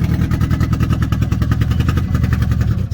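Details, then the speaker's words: 2008 Toyota Prius with a blown engine that has a hole in it and is missing its catalytic converter, but still starts. Loud, coarse, uneven pulsing roar at idle; rough running, exact cause unconfirmed. "Let me start it up so you can hear how loud it is."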